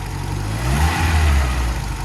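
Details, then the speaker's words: Barn-find Ford Escort RS Turbo Series 2, first run with automatic choke on: deep uneven loping idle that swells on a light throttle blip; lumpy, cammy idle, previously suspected metering unit fault and noisy fuel pump. "you can hear it's cammy but it does sound nice"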